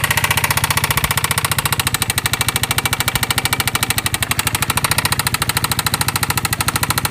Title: Piaggio MP3 Vespa GTS 250 engine knocking